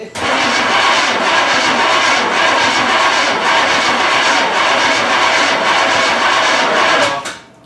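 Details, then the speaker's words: 1981 Recaro Trans Am after sitting about six years, with no gas yet in the carburetor: the starter churns steadily for about seven seconds with no firing while cranking pumps fuel up. A no-start because no fuel has been delivered. "She's yet. not even up there. There's no fuel up there yet. Right. So just crank it until we get."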